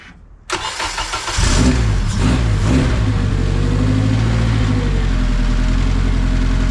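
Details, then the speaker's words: KRX first start after a budget 500HP+ fuel system upgrade, axles spinning freely with spindles unattached: engine catches after a brief crank, stumbles, then settles into a steady, even idle with no knocks or misses. "And there you have it. KRX is alive and I'm stoked about it."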